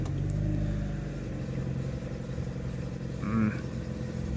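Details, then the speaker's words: Engine with 119,000 miles and a new cam belt and tensioners starts up with a coarse, graunchy, gravelly rumble under the idle. The check engine light shows a crank position sensor code, and the cause is not yet known. "see, sounds a bit graunchy for something that's had new tensioners and all that kind of stuff, doesn't it?"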